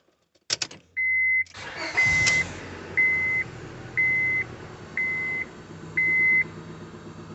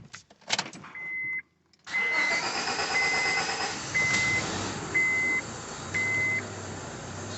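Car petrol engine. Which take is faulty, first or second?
second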